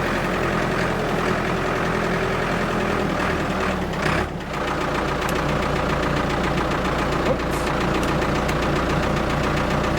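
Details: Abandoned Ford 655A backhoe diesel after revival, hydraulics working: even regular rumble with a brief load dip then settling; engine sounds good, blow-by basically none, healthy.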